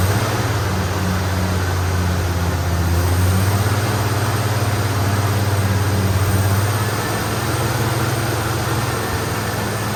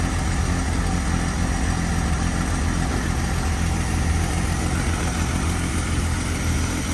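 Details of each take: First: AMC Eagle with a new starter, fuel pump confirmed working: low engine drone that sags and steadies lower, running only while held on throttle; stalls otherwise, needing an idle air-fuel mixture adjustment. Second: AMC Eagle carbureted engine after air-fuel mixture screws turned out half a turn each: steady even low idle with no misses or stumbles, purring smoothly; idle may be lowered slightly more.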